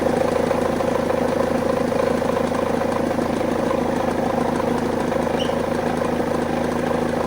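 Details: BMW E46 just started after starter motor replacement with jump boost: even, steady idle with a quick regular pulse, no misses or knocks; runs smoothly.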